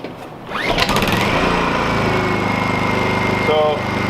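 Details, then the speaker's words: Honda EU2000 companion generator starting and idling rough, hunting unevenly; okay with choke but won't idle with choke off; plugged carburetor jet suspected, not confirmed. "First thing I'm going to do is I'm going to start it up and let you see how it's running rough. It's idle and rough."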